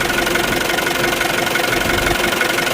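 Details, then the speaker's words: Isuzu D-Max 2.5 TD diesel, 2021 model, 48,000 on the clock: even, steady idle clatter with no misses or uneven knocks, checked for blow-by at the oil gauge; engine side sounds healthy. "So engine side కూడా చాలా బాగుందండి మీకు ఏమైనా interest ఉంటే ఒకసారి చూసుకోవచ్చు"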